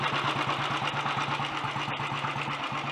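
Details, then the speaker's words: Early Redditch Royal Enfield 350 Bullet, warming up hot after carburettor pilot jet cleaning and new oil pumps: steady even single-cylinder thump at relaxed idle, about three beats a second, no knocks or misses; normal idle. "Seems to be running nicely anyway."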